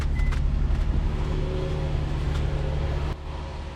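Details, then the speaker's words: Infiniti M35 after no-crank, no-start repair (replaced wiring harness, IPDM and ECU, temporary fixes): even low engine drone holding steady for three seconds without stumbling, then it cuts off; engine runs normally. "she is alive she is indeed alive she is alive"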